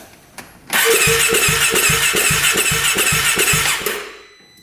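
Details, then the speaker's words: 2017 Polaris RZR 570 UTV bought cheaply from a dealer, cranking during a compression test: even starter beat at about two and a half turns per second with a light, uniform sound. Compression reads only about 20 psi against an expected 60–70; rings suspected. "Yeah, it's definitely low. What do we have here? We have about 10 20 PSI. Exactly 20. So, it needs to be probably 60 70 at least."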